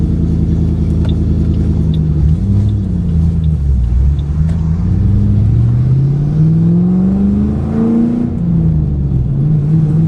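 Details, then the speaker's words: 2008 Ford Mustang GT (S197) V8 driving before coil replacement: rough, uneven, stumbling exhaust note through rising revs. Dealer found 5 bad ignition coils causing misfire, later fixed with MSD coil-on-plug set. "I got a report from the dealer when I took it up there, said that it had 5 bad coils, so it had been misfiring."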